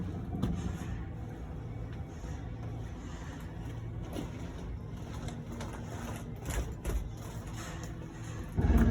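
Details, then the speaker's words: 2018 Jayco Jay Flight 29RKS travel trailer slide-out extending: low motor drone with clicks building toward the end as the motor reaches its stop at full extension. Normal slide-out motor whine and clicking. "You're gonna know that slide out's fully extended when you hear the whines of the motor and the clicking. That's when you can stop."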